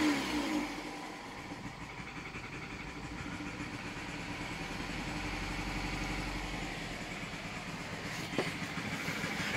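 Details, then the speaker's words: 2008 Nissan Versa hatchback 1.8 petrol, 188,000 miles, revving with uneven stumbling beat; misfire, check engine light had been flashing; owner suspected a coil and ignition coils turned out to be the cause. "okay so this is a 2008 Nissan Versa Hatchback with the 1.8 in it it's my grandmother's car and we have a misfire definitely you miss [Applause] I think it might be a coil"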